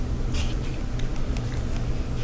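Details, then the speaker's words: Electrolux dryer after cleaning lint off the blower wheel, whose buildup had caused a rumbling noise. A low, steady rumble with only faint light ticks and no scraping or knocking. Running smoothly after the fix. "so we tested it afterward it sounded really good"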